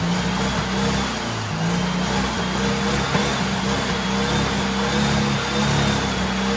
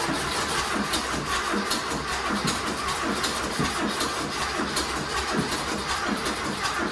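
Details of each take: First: Turbo carbureted Porsche 930 rat rod after new carb install: strong, even engine note on boost, about 8-9 psi, no knocks or misses; healthy running, though owner notes a remaining fuel issue. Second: Turbo rat rod Porsche 930 on new bigger carburetor, fuel pump turned up to max: lumpy, uneven idle that sags and nearly stalls; owner suspects fuel starvation and a weak fuel pump.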